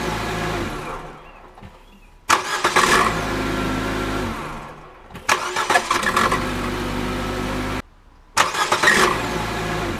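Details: 2016 Nissan Juke with CVT gearbox, about 25,000 on the clock, brand new: engine catches and flares loudly with a harsh, uneven clatter on each cold start; cause not known. Owner also reports CVT slipping on hills.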